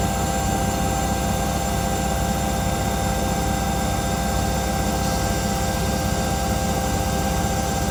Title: Washing machine sounds like a jet engine 🙈